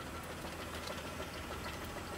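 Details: 2000 Chevrolet Monte Carlo idling with a steady, evenly spaced knock of a few beats per second; rod knock from a worn rod bearing, with an engine swap planned.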